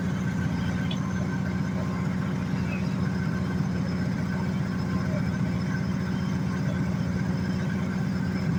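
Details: 1986 Jaguar XJ6 after sitting two years, running after fuel pump replacement and repairs: low even idle rumble with steady beat, no knocking or missing; normal idle.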